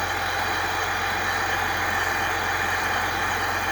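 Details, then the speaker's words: Chevrolet Silverado 3.0L Duramax diesel idling after coolant control valve replacement and refill, coolant level still a little high before test drive: even steady idle, constant low drone, no knocking, misses or whine; normal idle. "Well, it runs. Sounds like a motor. We got something happening in there."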